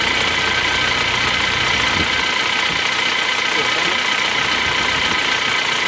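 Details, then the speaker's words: Isuzu Panther Touring automatic diesel, previously rebuilt with new liners, blowing by, losing coolant and overheating: rough idle with hollow, fairly regular knock two or three times a second; worn glazed liner/piston fit lets pistons slap. "Suara mesinnya juga kurang halus ini, Lur."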